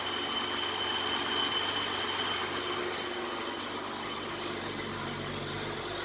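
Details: 1980s BMW 635 CSI E24, M30 petrol six, barn find, after rocker clearance set to 0.20 mm: smooth idle with steady hum and light top-end whir, no valvetrain ticking, much less noise than before.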